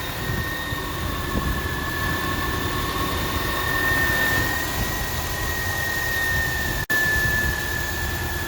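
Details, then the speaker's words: 2000 Subaru Outback idling smoothly right after adding engine restore, radiator stop leak and Sea Foam; starts right away, steady idle with a faint constant whine and no valve tapping heard. Normal idle. "now starts up right away unlock the doors that sounds pretty good i don't hear that valve"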